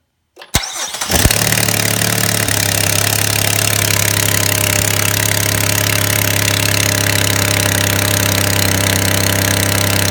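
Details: 2017 Chevrolet Impala V6 cold start: cranks into fast cold idle with sharp hissy ticking from an exhaust leak, fixed by replacing the catalytic converter and cat shield.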